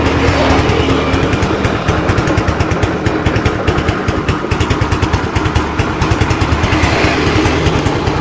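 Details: Motorcycle idling after reviving a weak wet battery (10 volts, old acid drained, terminals cleaned); quick regular exhaust pulses at steady idle, no misses or stumbles; normal idle.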